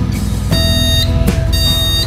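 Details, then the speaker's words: PC with Intel LGA 775 board powered on without RAM installed: repeated long half-second BIOS beeps meaning no memory is installed, showing the CPU is running and synced with the mainboard. "Um beritahukan bunyi seperti memberitahukan bahwa memori tidak terpasang"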